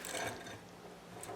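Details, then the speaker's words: Seized Husqvarna 020490 pressure washer engine, water inside, soaked with Fluid Film, turned by hand in a vise; gritty crunching heard internally, some noise from rust/debris on the flywheel; engine freeing up. "And it's crunchy there. Some of this noise you hear is the flywheel got a bunch of crap on it, but I can hear it internally."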